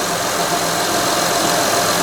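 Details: 2006 Honda Odyssey EX-L (RES) V6 idling after a valve adjustment and downstream O2 sensor replacement. Steady, even hum with a soft hiss and no misses or knocks. Normal idle.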